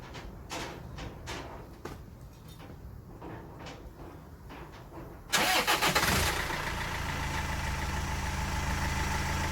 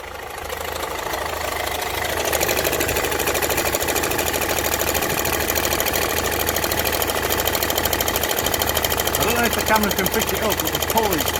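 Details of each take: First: Land Rover Freelander TD4 2.0L BMW diesel at first start after fitting a new crankshaft pulley to cure knocking; after some clicks it catches and settles into a smooth, even, quiet idle with no knocking, quieter than in ages, normal idle. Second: Land Rover Freelander TD4 with 2.0 BMW diesel idling, engine cover off: uneven knock about twice a second from the front of the engine, worn crankshaft pulley visibly moving.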